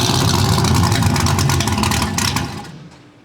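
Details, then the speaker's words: First start of a freshly built supercharged small-block V8 (TorqStorm blower, Holley parts) with ignition timing not yet checked: catches, runs rough and uneven about two seconds, then dies; the stall is put down to incorrect timing. "It does run. It does run. I was going to hop out and check timing real quick, but did not stay running long enough."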